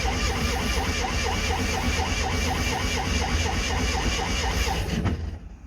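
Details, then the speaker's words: Classic Fiat 500 twin, not run for a while, started on full choke after the idle screw was wound back from about 2 to 1.5 turns: starter churns about four turns a second for several seconds, slow to fire while pulling fuel through. "Okay, that just took a little while to pull fuel through because obviously it hadn't run for a while."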